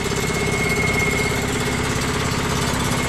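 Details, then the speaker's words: Free scrap electric air compressor on its first run after revival, not yet oiled: rapid pumping chatter with a faint high whistle, with lots of air blowing out and nothing on the PSI gauge. No pressure at first; it later reached 30 PSI. "Okay. A lot of air blowing out of there. Nothing on the PSI gauge."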